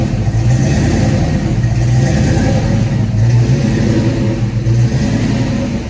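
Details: 1991 Ford Mustang GT hatchback V8 at cold start after an ECU change: deep idle swells and sags roughly every second instead of holding steady; owner suspects the cold and the IAC needing to relearn, not confirmed.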